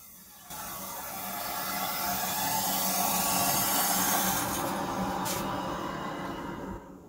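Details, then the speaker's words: Household water supply after an under-slab leak repair, using a push-on 90° elbow on a 3/4-inch copper line: steady rush of water that stops cleanly with no banging; hot water lines to the bathrooms are pressurized, a healthy supply. "That sound of the water turning on and then going silent is a good sound, because that means that the hot water lines going back to the bathrooms are pressured up and the bathroom's water suppl"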